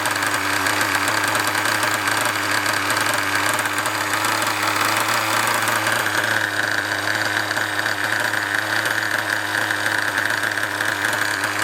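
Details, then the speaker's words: Nova nitro engine in an RC buggy, a tube fitted instead of the exhaust, buzzes steadily at a high idle with an even mechanical whirr and no misfires; a rattly brake disc is also heard; normal healthy running. "All that noise, oh, I've got a rattly brake disc, but that's just the mechanics of the engine, you know. You're hearing the combustion, you're hearing everything, and not the exhaust note."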